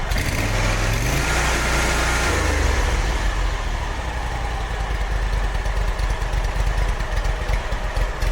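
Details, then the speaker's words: Kawasaki FX850 twin on Hustler X1 mower after valve adjustment to cure loose-rocker tick: steady low thump, fairly even beat, no top-end ticking; runs normally, sounds better. "Oil pressure. I don't know if you can hear it or not, but it sounded a lot better."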